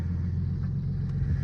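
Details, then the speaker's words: 28-year-old Lexus GS300 right after replacing ignition coil six for a misfire, first start: steady low rumble, even beat, no stumble or miss; normal idle. "I don't know. It feels like it's running fine."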